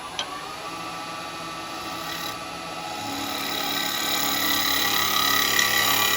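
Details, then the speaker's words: Woodturning lathe turning a small yew pot-pourri pot: a scraping tool makes a fast, regular clicking as the cutter passes over a crack in the spinning wood. "You can hear the clicking noises from where the crack is."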